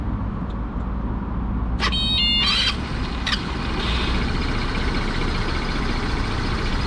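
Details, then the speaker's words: Vento Max 200 scooter starting after the starter was removed, cleaned, lubricated and refitted to cure a grinding screech at startup: short starter whirr, then the engine catches and runs evenly; the screech is practically gone, only a faint trace remains. "И пробую завести. Звука практически нету. То есть где-то там какой-то отголосок."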